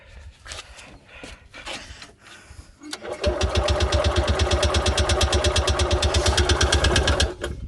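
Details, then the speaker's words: Columbia Parcar golf cart small engine restarted after running out of gas, with the choke left on; it needs a new choke cable. It catches after fumbling and settles into a fast, lumpy, pulsing, rich idle. Rough running with choke on. "Ouch. There we go. Choke was on."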